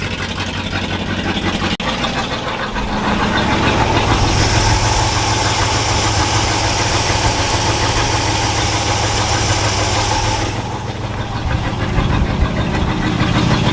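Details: All-original 1962 Chevrolet C20 3/4-ton pickup, automatic, first run after sitting about 60 years and a fuel pump replacement, choke on: steady idle, revs rise smoothly then settle to an even idle without stumbling; normal idle.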